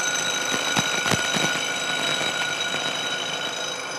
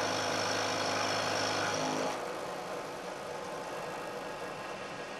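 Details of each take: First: Milling machine taking a pass along a thin, long part clamped in the vise and cantilevered out of the jaws: steady high ringing whistle over the cutting hiss grows as the cutter nears the overhanging end; chatter from the overhanging workpiece vibrating. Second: Milling machine cutting a thin part clamped in the vise with damping plates, same depth as the previous chattering cut: loud first seconds then a quiet, even hiss without ringing toward the part's end; smooth, well-damped cut with better finish.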